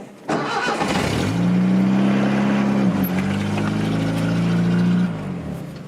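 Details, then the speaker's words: 2013 Chevy Silverado with no-start, suspected dead battery or bad ground, after fitting an 800 CCA battery: short crank, clean catch, steady even idle with a brief dip; starts and runs normally. "okay well this is the truck sounds like it's still running almost i didn't shut off there for a second"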